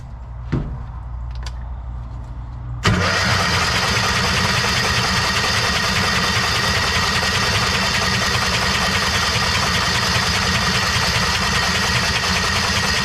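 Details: Kawasaki Mule 2510 cranked with the spark plugs out: a fast, even cranking whir with a hissing spray of antifreeze forced from the cylinder, confirming a massively blown head gasket.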